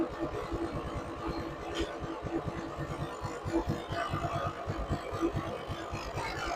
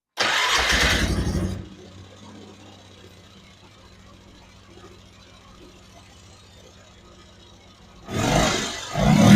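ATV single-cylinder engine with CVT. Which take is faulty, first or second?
first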